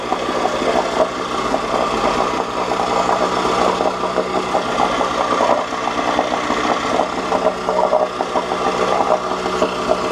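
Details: 1986 Johnson J4BRHCDE 4 hp Seahorse two-stroke outboard, stored for years, previously overheating, test-run in water after cleaning water passages: steady busy buzz at even speed, no knocks or misses; about 5 minutes in, a little hot; small known carburetor leak; running healthy.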